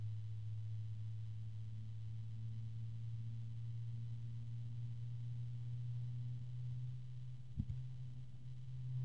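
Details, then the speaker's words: Cooljag Everflow FB14025SL 3-pin fan with an EBR bearing, microphone right next to it: quiet start, then a smooth, even deep hum with a faint harmonic resonance and no rattle or ticking, running normally. "it's a nice quiet start a nice deep tone coming out of this thing and a FR harmonic resonance"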